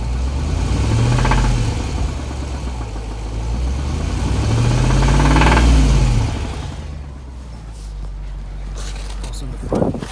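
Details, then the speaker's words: 2007 Jeep SRT8 6.1L, warmed up with good oil level: idles fine, but two rev-ups bring a rhythmic knocking that quickens with rpm and fades back at idle; knocks only under throttle, with a 99 psi reading noted as abnormal, cause undetermined. "and it has oil and it only knocks when i step on the gas it's idling fine right now"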